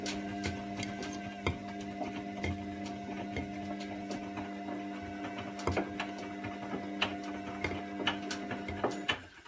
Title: Wash and spin and clicking noises